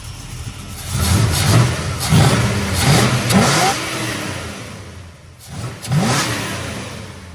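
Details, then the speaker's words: Dodge Dart carburetted V8 after swapping the Edelbrock for a tuned 650 Holley 4150 double pumper from a Barracuda: sharp, clean blips climb quickly and drop back to idle without stumbling; runs crisp and healthy. "Yeah, thing runs great. Super crispy."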